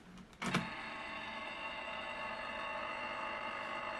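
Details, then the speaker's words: Sartorius analytical balance that won't turn on, powered from adapter with 11 V, 18–19 V and -21 V rails: click at switch-on then harsh steady multi-tone buzz; owner suspects power supply can't meet current demand; unit appears dropped. "get that really horrible noise oh that doesn't sound good at all so I'm wondering if the power supply is not capable of supplying the current demands of this unit"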